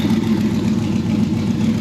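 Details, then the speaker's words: Drag car with newly built and installed aluminum V8: steady, even low rumble with no knocks, misses or ticks; smooth, healthy idle. "sit back and listen to this baby purr have a good night guys"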